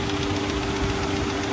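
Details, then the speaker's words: Auction-yard car on a very hot day, feared to need an engine rebuild: a light, fast tapping rattle rides over the warm idle with excess shaking, louder on the accessory-belt side and seeming to fade at higher revs; source unconfirmed. "Definitely vibrating more than it should be. Oh, you can really hear it on this side."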